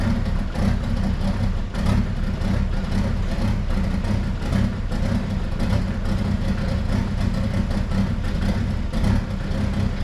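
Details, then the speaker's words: Jeep Wrangler YJ with swapped Mercedes diesel engine: heavy, clattery idle with an uneven lumpy beat, running rough and smoking heavily; owner suspects the injector pump needs adjusting, and a leaking turbo line hose was found afterwards. "I'm gonna fire it up back it out let it run for a little bit and it smokes like a bear so I'm sure I'm gonna have to do some uh adjusting on that injector pump hopefully"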